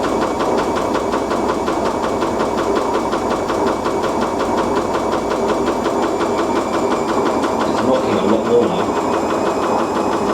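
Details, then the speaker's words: Siemens IQ300 washer dryer on a wool cycle with a pillow, during spin: steady, coarse rumble throughout the fast spin with no letup; loud rumbling, owner suspects drum bearings, not confirmed. "I'm walking near the bearings rumbling"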